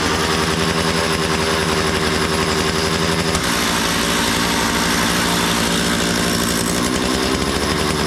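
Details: Makita DCS 6401 chainsaw, unused for 10 years, after a new plug, fresh fuel and a cleaned tank and fuel filter: steady two-stroke buzz, revs change once and settle cleanly; runs well, though the kill switch doesn't work.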